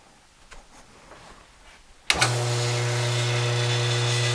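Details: Busy Bee B324 bandsaw motor after new 6202ZZ bearings replaced the noisy, cooked ones. The motor kicks on and settles to a smooth, steady hum with no rumble or grind: normal motor run.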